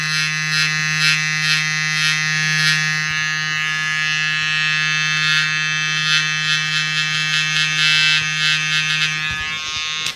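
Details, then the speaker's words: Gobo magnetic hair trimmer with thin cutter blade, new out of the box: steady high electric buzz with a harsh pulsing edge until switched off; the clipper does not do this; abnormal buzzing noise, cause unknown. "that's the only thing I don't like about this head trimmer but the Clipper doesn't make a strange noise"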